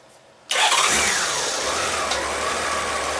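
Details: 30-year-old Honda GL1500 Goldwing flat-six after carburetor clean, accelerator pump repair and new air filter, warmed up: fires immediately and settles into steady even idle without misses or stumble.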